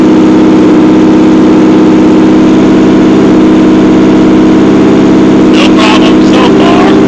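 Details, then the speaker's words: Nissan Z32 twin-turbo, very cold (40-something degrees) first start after idle air control valve cleaning, MAF sensor unplugged so running in safety mode, no cat-back or downpipes fitted; very loud raspy idle sitting a little high with slight wobble. "it run and you'll see it running in safety mode and hear it it's really loud"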